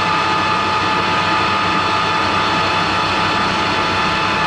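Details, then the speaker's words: Harrison L6 12-inch swing lathe headstock at about 1000 rpm after clutch repair (springs added between clutch plates to stop plate rattle, new operating pins); steady, even whir with smooth hiss, only oil splashing on the top cover, no clatter; sounds far better than before, normal. "only noise i can hear is the oil splashing up on the top of the cover i don't know if it's going to pick that up on the camera super impressed so the clutch works it sounds miles better than it did before"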